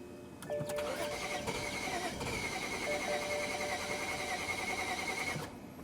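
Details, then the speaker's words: BMW 335i towed in with crank-no-start, DTCs 2DD6 and 2DCF: steady cranking about five seconds with a whirring, uneven note and no catch; mechanic suspects, unsure, a compression problem. "There's a weird noise. I don't know if you can hear it. There's that. It's like there's Matt is laughing at me behind the camera. It It It sounds like there's a compression problem with this engine."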